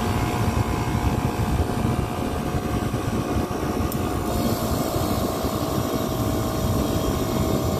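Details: Copeland digital scroll compressor in a Liebert (Emerson) precision-cooling unit for data centers: constant heavy hum whose tone shifts with clicks as a solenoid routes discharge gas to suction, modulating capacity; normal, not broken.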